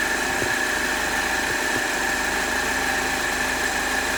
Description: 2010 HHR 2.2 Ecotec making a weird noise when warm, can’t figure it out...Take a listen.